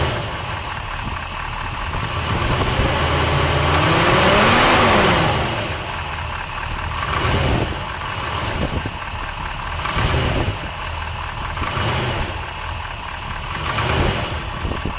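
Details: 454 big-block V8 with great oil pressure, idling and revving once; uneven tapping knock, loudest at driver side head, owner says unlike rod knock; cause unknown, heads to be pulled.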